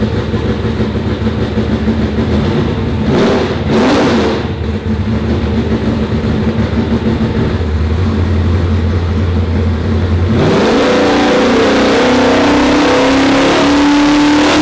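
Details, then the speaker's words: Car on the dyno after fixing a possibly mislabelled sensor (maybe the MAP sensor) that had it running soft. It holds steady on the rollers, then revs climb smoothly under full load with no misfire or stumble. A strong pull that made more horsepower. "oh that sounded better did you see that fireball that sounded better that sucking loud"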